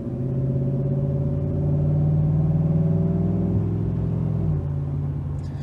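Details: 2019 Chevrolet Silverado, about 4,000 miles after fitting a Range Technology DFM Disabler, doing a pull on the transmission. Steady low drone climbs smoothly, with one clean shift drop near the end and no clunks; gearbox sounds healthy.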